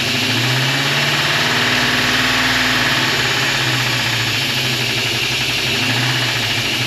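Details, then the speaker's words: 1956 Chevy long-roof wagon small-block V8 at its first start after sitting outdoors for 2 years, with a new HEI distributor, valves set and new exhaust gaskets: loud, busy idle with fast ticking clatter on one side. Exhaust leak confirmed; owner suspects a vacuum leak or a cold engine. "t's got exhaust leak for sure but it is running definitely a little noisy but considering it sat for a while it's okay kind of sounds like it's got a massive vacuum leak or something"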